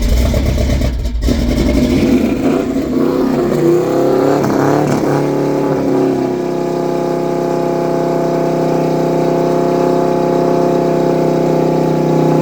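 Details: 1971 Chevy Cheyenne C10 snowy cold start: uneven stumbling catch and surging revs for several seconds before settling into a steady even idle, hard cold starting, then runs good.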